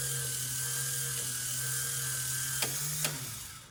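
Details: Power antenna for 1965-66 Thunderbird / 1961-64 Cadillac, tested up and down after reassembly with new crimped antenna-wire connector: steady low motor whir with a couple of sharp clutch clicks near the end, then winds down; normal operation.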